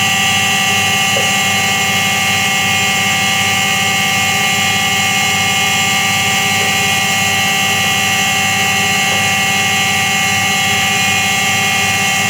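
Constant high-pitched hum with a steady roar underneath that never lets up; sounds like a dry, worn drum bearing. Cause suspected, not confirmed.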